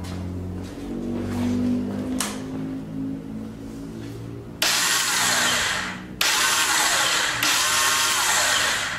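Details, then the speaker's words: 2006 Honda TRX300EX, wrong starter fitted: two harsh, gritty grinding bursts as the starter engages without catching; owner fears the starter gear dropped off. "That don't sound good at all. I hope that starter gear didn't drop."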